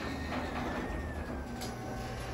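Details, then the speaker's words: Garage door opener closing normally after the fix: the safety sensor on one side had lost alignment with the other. Steady low motor hum with an even chain rumble, door running down smoothly without hesitation or stopping. "That's how it should work, guys. All right, I'm gonna close it back now. Quick press."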